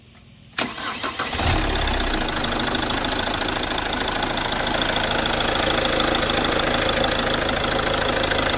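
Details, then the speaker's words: 2010 Chevrolet Captiva diesel after full turbo intake and fuel system cleaning of heavy carbon sludge, restart: quick crank, clean catch, then steady even diesel clatter at idle, no misses or knocks; healthy start and idle. "Oke, kita biarkan dulu nyala idle 10 atau 15 menit."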